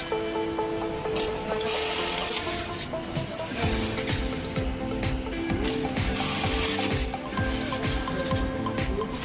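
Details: Brother 430D button sewing machine after noise-reduction adjustment (X/Y scale setting, thread-cutting adjustment, recentering via program) cycles with light, even mechanical clicks about twice a second, with music behind it; normal running.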